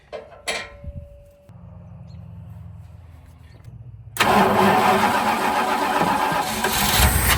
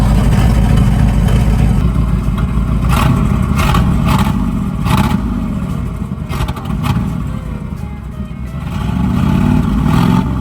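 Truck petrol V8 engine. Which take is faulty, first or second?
first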